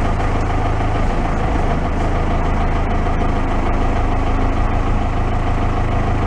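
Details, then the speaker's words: Case 580 backhoe diesel that had been sitting, started warm without glowing: settles into a steady, even idle with a smooth low drone, no knocks or misses. Normal idle. "if it'll fire up i don't think we have to do anything it's warm enough we should have to glow it if it has glow plugs see we get it starts nice"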